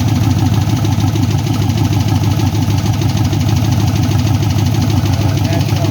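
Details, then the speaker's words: LS-swapped 1979 Ford F-150 dump truck with spark, fuel, 180 psi compression and swapped injectors: uneven, loping idle with a light knock about three per second; owner suspects cylinders two and four are missing; misfire with knocking, cause not found. "it's got this little knocking noise in here that you're going to hear and uh I can't figure it out."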